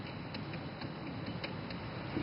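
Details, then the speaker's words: 1999 Chevy Monte Carlo rear wheel bearing, vehicle jacked up, bare hub spun by hand: faint uneven clicks two or three a second, hub spins too freely; worn wheel bearing and race, loose and clicking. "hear it clicking hear that noise that's uh that's not good um the bearings are shot the race is shot"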